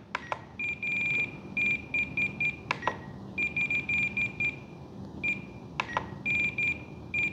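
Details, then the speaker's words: Blade Fusion 360 BNF helicopter transmitter during radio setup, with throttle hold on and at low throttle: bursts of sharp, high-pitched beeps in short repeating groups with clicks between. The transmitter timer had wrongly started counting early. "I bet after we turn it back on it'll be fine our throttle hold is on by the way so it shouldn't warn us ha started counting already"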